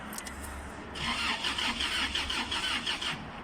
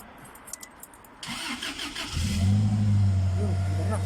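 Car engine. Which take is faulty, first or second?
first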